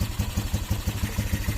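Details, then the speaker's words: Restored Motorstar classic motorcycle, cable not yet fitted: steady low even pulse of about five beats a second with no knocks or rattles; only slight noise remains, judged okay. "Medyo lang yung nadidilig yung ingay, pero okay na yan."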